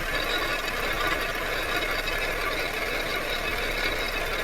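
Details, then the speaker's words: Loose metallic clatter (hua-la) heard at the right half-shaft, left side silent, also with engagement shock when shifting into gear; transmission output flange holding the inner CV joint has separated from the gearbox housing. "侧半轴传出哗啦哗啦的异响声，非常的明显。就是这么一个简单的故障，这就是变速箱的法兰盘跟变速箱的壳体之间分离了。"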